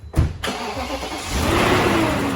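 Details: 2001 BMW 740i M Sport V8 first cold start after timing chain replacement: brief crank, fires quickly and climbs to a smooth, even fast idle with no rattle; normal cold start.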